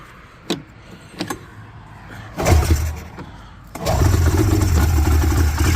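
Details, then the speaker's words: Yard-find Polaris 650 Indy snowmobile (allegedly 1989 or 1990), plugs refitted, carbs not yet cleaned, on starting fluid: short cranking bursts, then it catches and runs ragged and low for a few seconds. "You're not supposed to run a two-stroke on starting fluid, but it's all right. It'll be okay for a little bit. Anyways, yeah, it's trying to."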